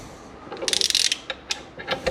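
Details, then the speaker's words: Aprilia RS 125 Rotax 122 engine, crankcase being split during disassembly: short high squeaks and ratcheting clicks as the halves are rocked apart. This is just the bearing slipping over the shaft, which is normal. "Just go back and forth. You're gonna hear it squeaking. That's just the bearing slipping over the shaft. So that's completely normal. It shouldn't be too loud though."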